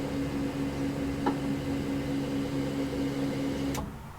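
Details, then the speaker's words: Single-turbo 2V build with Holley ECU and trunk fuel cell, ignition turned on before starting: a steady low electric hum with a faint whine for about four seconds, then a clean cutoff. Normal priming of a large fuel pump. "could hear the fuel pump kick on just then not too loud considering how big it is"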